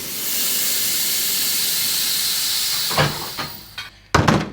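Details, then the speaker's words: Jeep Cherokee XJ 2.5TD after a GT2052 turbo rebuild, engine off and cold, during an intake pressure test: a steady strong hiss of escaping air at a hose coupling, the main boost leak. "you can hear a leak there yeah obviously just need to sort that out because that ain't working so good"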